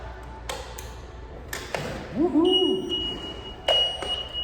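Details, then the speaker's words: Model 37 Mart Cart, after the front drive motor was replaced: clean, high, steady electronic beep in short spells over handling clicks when backing up; reverse warning beep working normally. "that beep would be backing up okay so that's that was a simple fix to change the motor out in the front"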